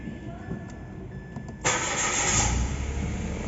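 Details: Mitsubishi Mirage G4 left parked for two weeks: after a quiet lead-in the starter churns in a rough, uneven rhythm about four beats a second and the engine never picks up; cranks but will not start.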